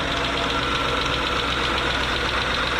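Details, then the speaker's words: 2013 Hyundai Equus 5.0L GDI V8 at 98,539 miles idling: a steady airy rush with a rough, scratchy edge over a smooth idle, from a crash-damaged cooling fan pushed into the radiator and fouling it. "appears we have a little bit of a noise coming from the cooling fan which has been smooshed into the radiation due to force"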